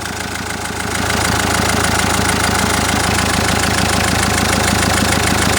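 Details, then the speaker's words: Common-rail diesel at idle: regular light ticking knock about three per second, sounding like an injector, caused by a high-pressure fuel pipe pulsing in a loose plastic clamp; silent when the pipe is pressed or clamp raised, or injector connector unplugged. "И вот этот звук реально заздаёт, как будто форсунка стучит."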